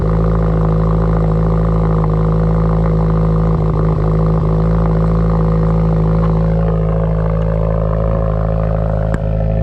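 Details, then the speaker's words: Subaru Forester XT with loud mufflers the owner dislikes, cold start: loud deep steady exhaust drone at fast cold idle, quieting after a few seconds, which the owner attributes to startup enrichment; normal cold start idle. "See, it quiets down after, I guess, the startup enrichment."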